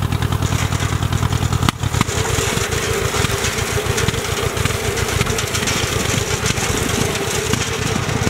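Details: Ford Jubilee tractor with the PTO mower engaged after a new carburetor: engine fires steadily under load and keeps pulling without stalling, with cutting noise behind it. Cuts much better than before, when it stalled; the carb still needs adjusting.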